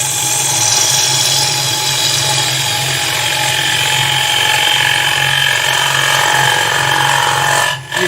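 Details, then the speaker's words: Woodturning lathe with the gouge leaned in hard to remove wood quickly on a bowl: rough rattling chatter over the spinning lathe hum as the tool chatters against the bowl. "You can hear the chatters back. I'm just trying to get the wood away and make this a bit quicker bowl."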